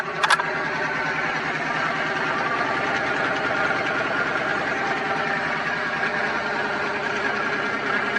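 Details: Twin-turbo Dodge truck, started on a freshly charged battery after all vacuum lines were replaced to fix a driver-side leak from turbo to wastegate, not yet tuned: a steady, even idle with a smooth exhaust note and no knocks, ticks or hunting after the brief start. Healthy.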